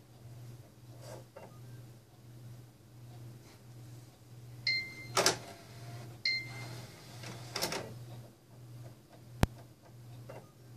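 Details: Xbox One disc drive that scratches the inner ring of discs and won't play them: a low steady drive hum broken by harsh scraping bursts as the disc grinds against something.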